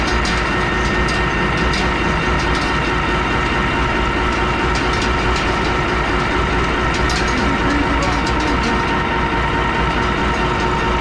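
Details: Chipper diesel engine run after changing fuel filters in cold weather to purge air: even, steady clatter at constant speed with no hunting, stumbling or stalling; runs cleanly.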